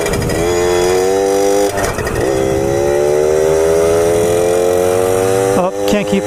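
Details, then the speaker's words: 1997 Suzuki JR50 50cc two-stroke kids' dirt bike after restoration and hidden gear mod, riding: wail climbs steadily, then stumbles and cuts out near the top before building again; breaks up at high rpm. "like it's still increasing rpm increasing increasing still increasing rpm and then sometimes it keeps building and sometimes it's there because that it breaks up"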